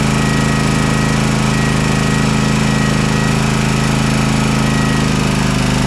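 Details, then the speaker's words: Toro TimeCutter SS5000 zero-turn V-twin after repair, reassembled with plugs, top and air filter refitted: steady, even low drone with no misses, both cylinders firing, smoking as it burns off residue from the left cylinder that hadn't been firing. "We're getting some good smoke come out of it right now. It's going to burn off all that from that left-hand side that wasn't firing."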